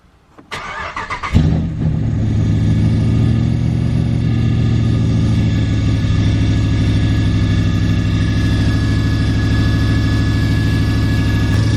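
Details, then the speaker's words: Ram 1500 Hemi with FRP Tomahawk cam, Hellcat lifters and timing chain, on first start after the cam build: starts, then settles into a loud, lumpy cammed idle with a metallic rubbing edge; a bent bellhousing dust plate is rubbing the flexplate. "not sure what the hell that was like okay we had a funky noise a different funky noise than the pain"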